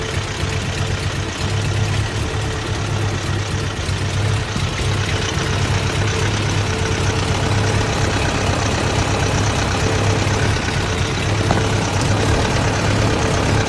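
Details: Toyota 22R engine: low uneven idle with lumpy irregular beat and occasional stumbles; rough idle.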